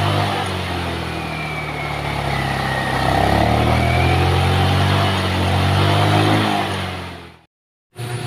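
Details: Rusi Royal GY6 scooter that stalled on the road, revving after its weak-spark spark plug was replaced with a new one. Revs rise and fall smoothly with throttle without misfires, then it cuts out. It now runs clean.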